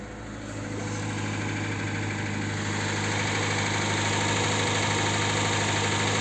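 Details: VAZ 2107 engine at a steady idle with a regular light knock on top, about three per second; the source of the knock is unknown.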